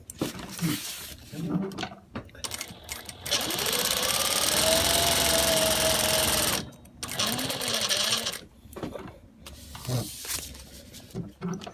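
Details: Juki DLN-415 industrial sewing machine with servo motor, sewing at mid-range speed: a clear, steady whine over the stitching noise, coming from inside the head near the stitch length dial and feed control lever, not belt rubbing.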